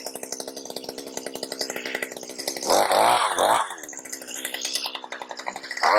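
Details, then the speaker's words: Stihl HS80 hedge trimmer, yard-sale find, next-day cold start after fuel system cleaning and carburetor work for no-start: several cord pulls, quick catch, then fires and revs up cleanly; normal cold start. "All right, y'all. It's the next day. Let's go ahead and do a cold start on this thing."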